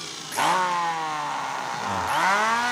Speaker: terlihat jelas sekali suaranya sangat kasar dan getarannya berlebihan